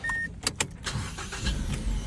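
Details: 2012 Mazda 3i after fixing clicking no-start by cleaning a dirty cable terminal (battery and starter already replaced without effect): chime, brief crank, then catches cleanly into a smooth even idle, no clicking. Normal start.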